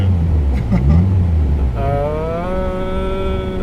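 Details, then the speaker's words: Modified 2001 Mitsubishi Evolution VII, JDM right-hand drive, about 400 HP with bolt-on upgrades, on hot 100-degree day with AC on: uneven, lumpy loping idle that rises to a steadier fast idle; rough idle from its cams. "Oh, wow, it's got a bit of a rough idle, doesn't it? It's gonna catch up."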